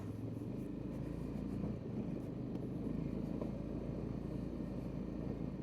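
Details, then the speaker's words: 2005 Honda Rincon 650 ATV, brought in for no power and 15 mph top speed, on test ride: steady deep drone under load, even with no misses or stumbles; running properly. "Yeah, this thing is good to go, I think."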